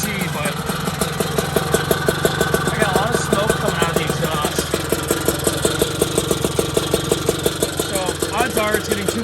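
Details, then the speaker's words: Puch Maxi moped with 70cc kit, first start-up after build: uneven, burbling two-stroke idle with lumpy pulses that never settle; spark plug came out dark and wet, too much gas; running rich. "i kind of figured it was getting too much gas so i pulled the plug you can see how dark that is and wet"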